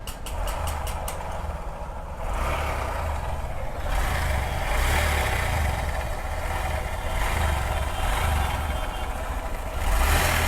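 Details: Honda SP Shine 125 single idling with a low, rough rumble and gritty growl under the beat; the clutch chamber is opened first to check whether the noise comes from there or the head.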